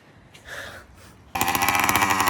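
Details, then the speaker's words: Newly built 100cc two-stroke motorized bicycle kit, warm, idle set by adjustment: after a quiet start, a loud, buzzy, steady run. Sounds healthy, just very loud. Normal running. "Okay. So, it runs. It's pretty [ __ ] loud."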